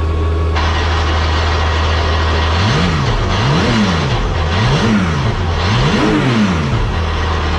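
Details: Porsche 911 GT3 Cup race car, cockpit start-up: engine idles evenly, then four clean blips rise and fall crisply with no misses, knocks or rattles; normal engine revving.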